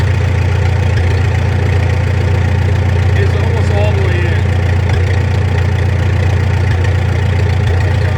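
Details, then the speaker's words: Farmall M tractor with open exhaust after a carburettor rebuild, idled all the way down in neutral. Deep, lumpy, soft beat of about 2.5 pulses a second; the idle mixture is set too rich. "See how it's kind of flubbling there? It's a little too rich."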